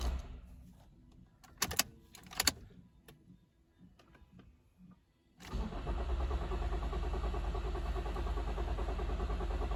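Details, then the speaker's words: Toyota Auris with codes including P1604 startability malfunction and PCM power relay circuit open: starter cranks evenly about three turns a second, never fires; crank no start with insufficient fuel pressure. "okay so it is a crank no start anyway not really attempting to fire at all"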